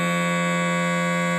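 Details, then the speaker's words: Gottlieb System 80 sound board switched by dip switch to Counterforce sounds instead of Spider-Man: steady unbroken buzzing tone stays on after ball drain because Counterforce's sound-card software interface differs from Spider-Man's. "sorry the reason it sounds like that right now is because of the software interface of the sound card for counter force is slightly different than Spiderman"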